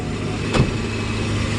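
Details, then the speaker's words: Mercedes SL600 running with repaired throttle bodies off the intake manifold, no limp mode: steady even idle near 1000 RPM with faint hiss, high idle from unmetered air. "So as you can see, when throttles are not on the intake manifold, you clearly see that your idle speed is way off 1000 RPM because you don't have proper air"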